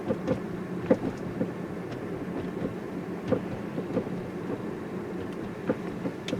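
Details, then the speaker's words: 2011–2014 Hyundai Sonata, about 100,000 miles, front-end rattle over bumps; sharp irregular clunks and rattles with each bump over road rumble, also when rocking the car side to side; mechanic suspects sway bar end links, broken springs also possible. "you'll hear if we rock the car back and forth in other words we make the car sway the noise is also there so right away in my mind i'm thinking sway bar and links um they were pretty well known for this"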